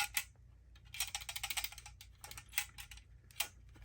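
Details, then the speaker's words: Brand-new Titan Rig radiator straight out of the box: irregular light metallic ticks and rattles over a faint hum, something loose inside the radiator core; fins seem solid. "but the biggest concern really is there sounds like something's loose in it I'm sure you can hear that on video and it's not like it's not like any of these like Parts down here the fin seem solid it's actually inside"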